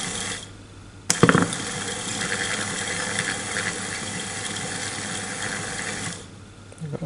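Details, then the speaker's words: New, not-yet-installed electric power steering motor (Avanza/Xenia/Ayla type, for a Suzuki Katana DX conversion) bench-tested directly on a battery, run both directions: steady, even hum about five seconds, no knocking or grinding; motor normal. "oke untuk motor normal"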